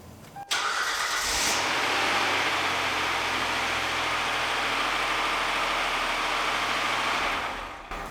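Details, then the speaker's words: 2012 Kia Sorento SX AWD, 3.5 L V6, deer-damaged, first start: brief crank then harsh, loud, rough run; sounds about 100,000 miles overdue for an oil change, cause unconfirmed; noisy start and run. "So it runs. Sounds like it's 100,000 miles overdue for an oil change, but we'll get that done."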